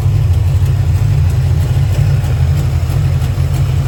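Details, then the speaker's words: 1990 Ford Mustang GT Fox Body, built 306ci V8 with Ford Racing intake and new FST RT Plus 4-barrel carburetor, warmed up with choke open; idle screw bumped up 1/8 turn, giving a deep, steady, even lumpy idle at about three beats a second. Normal lopey idle. "All I did was just bump the idle up 1/8 of a turn on the idle screw. Golly, that sounds good. Sounds awesome."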